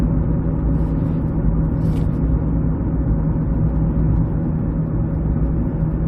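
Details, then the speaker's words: 2006 Ford Escape Hybrid driving at about five or six degrees out, nearly 70 miles into the drive: a steady constant-pitch front drone under road rumble that changes only with speed, separate from tire noise; ice ruled out, cause not yet found. "so you can hear it humming pretty good now of course it's like five or six degrees out so i was thinking maybe it had something to do with maybe i got some ice somewhere under there"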